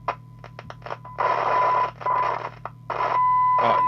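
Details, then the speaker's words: Amstrad CB900 CB radio on receive, channel 20: faint, scratchy audio with irregular noise bursts over a steady hum. The cause is a dirty volume control, to be cleaned with switch cleaner and later replaced. "it sounds like we've got a dirty volume control. So we'll sort that out here and now with the switch cleaner."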